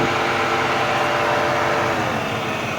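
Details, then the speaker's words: Supercharged 2006 Chrysler 300C SRT8 idling on a nearly 100-degree day: quiet engine with a faint supercharger whine and cooling fans kicking on. Modified exhaust with full cats, no cooling issues, healthy normal idle. "the engines fairly quiet the supercharger you can hear whine a little bit there's the fans kick it on it is almost 100 degrees today"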